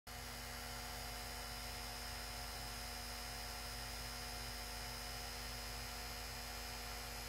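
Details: PS4 Slim with a game disc inserted, after dislodged disc drive rollers were refitted: loud, steady electrical-sounding buzz with fixed tones; owner suspects disc drive or fan, not confirmed.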